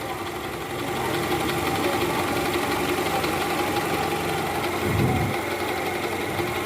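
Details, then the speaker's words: 2012 Toyota Camry 2.5 V, 2AR 2500cc, over 100,000 km, cold-start idle in R/D: rough fast tick-tick rattle, loudest at the oil pan by stethoscope and gone when warm; worn balancer shaft. "saya sempat dengerin pakai SpongeBob di area panci oli itu jelas banget suaranya Kretek tek tek tek dan ini indikasinya balancernya oblak guys"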